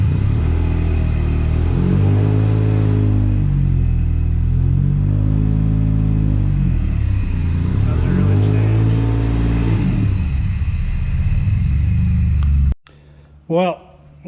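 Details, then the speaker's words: Subaru Impreza with swapped EG33 flat-six, one bank very lean, other very rich: lumpy, stumbling engine blipped twice, uneven beat through the revs. "a lot of changes there this side is running really lean this side's running really rich it's either wire wiring or ECU which uh I don't know"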